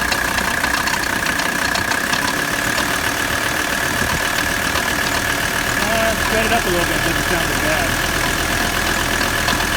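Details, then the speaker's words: 1985 Mercedes 300D diesel idling during AC recharge on the second can: rough, irregular knocking rattle about two or three per second from the AC compressor; it cools, but owner suspects the noisy compressor won't last. "Compressor's starting to get noisy. It may not be any good. It doesn't sound too good. It's cooling, but it doesn't sound good."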